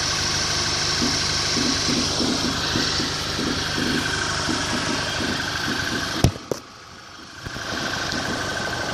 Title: Mk6 gti knocking noise